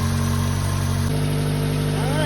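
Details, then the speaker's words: Subaru Sambar kei truck, after winter storage, fixed after an animal-damaged fuel hose: steady, even low idle hum with no misses or knocks; healthy idle. "she sounds pretty good time to put the cover back on and then we'll go fix that tire"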